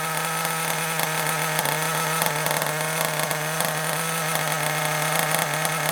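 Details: Kyosho Mini Inferno ST 09 nitro buggy just started with a starter box: steady high-pitched idle buzz with raspy exhaust crackle; idle speed slightly low, to be turned up a little.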